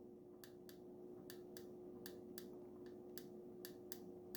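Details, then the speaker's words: Plastic creak at the travel limit of the Jaguar XK8/XKR cupholder lid after lubrication: sharp little plastic clicks in pairs, about four a second, as the lid reaches its stop, plastic bending and pressing on plastic, inherent and not curable by lubrication. "This is just the plastic slightly bending or pressing against other plastic, and the lubrication can't take care of that."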